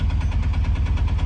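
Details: Mahindra Jeeto BS6 2024 diesel after NOx sensor error repair (DEF error, "no start 50 km", P2200/P2203 codes cleared, DEF tank filled): steady, even low diesel thrum with regular firing pulses, no knocks or misses; normal smooth idle.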